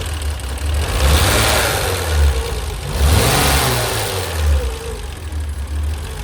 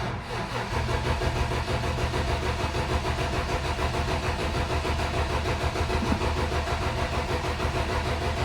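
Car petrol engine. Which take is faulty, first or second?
second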